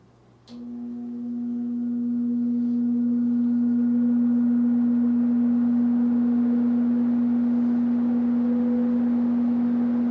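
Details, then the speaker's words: 1969–70 Sears Kenmore box fan built by Vernco, with a 3.7 A, 1/12 HP motor rated 5000 CFM, not yet oiled, running on medium. A smooth, even low hum swells as the blades come up to speed, then holds steady: running normally. "even on medium it's about to blow the camera over and then here's low"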